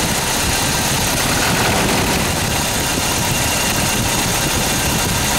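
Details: Toyota 22RE engine at idle: loud, rough running with a constant loose metallic "death rattle" riding over the engine, steady throughout; source of the rattle not pinned down.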